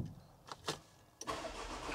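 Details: Nearly new VW Transporter van, 3,500 miles, after being misfuelled with petrol and run until it stopped, now repaired: a few quiet clicks, then it catches at once and settles into a steady run; a clean first-time start.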